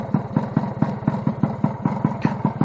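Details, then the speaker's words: Scooter with newly built two-stroke cylinder being run in: steady, deep, even two-stroke burble at idle with no breaks; everything working fine. "everything seems to be working fine so I've got one scooter up and running"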